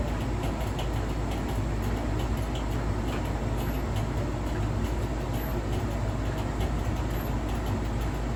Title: Faulty already??? Clicking scraping noise and intermittent squeaky noise!??